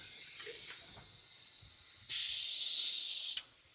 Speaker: Everything sounds pretty good except for an air leak inside the truck. So let's go check that out. See if it's maybe a park brake valve like the other truck was or something different. Oh, sounds like the middle of the truck.